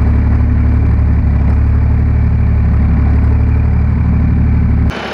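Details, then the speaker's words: John Deere 350B crawler dozer diesel after a cold start (2 days sitting, no starting fluid): deep, steady, even idle with regular low beat, no knocks or misses; sounds real good now. "And it worked. It runs. It actually sounds real good now."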